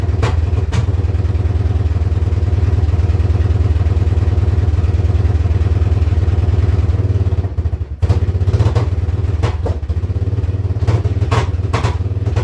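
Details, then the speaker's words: Yamaha Wolverine ATV, running poorly, started before any repairs; exhaust has holes: single thumping idle with uneven, stumbling beat and a dip near eight seconds, smoky; rough bogging idle later traced to a faulty handlebar switch, unplugged to fix. "a little sip there an idol and smokey I guess"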